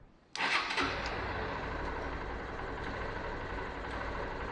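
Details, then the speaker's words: Honda CBF 125 after timing chain work and refilling oil: small single starts and settles into a fast idle with a light, quick ticking over the exhaust beat; still ticking, source not pinned down. "Now, still ticking. Still ticking."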